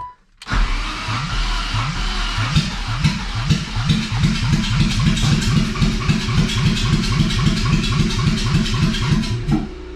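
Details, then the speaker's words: BMW E30 with swapped M50 engine, first start attempt, no exhaust fitted, in neutral: starter chugs over sluggishly and unevenly, three or four compressions a second, never catching; battery still dead, a jump box needed. "no i think the battery is still dead i'm gonna have to get a jump box"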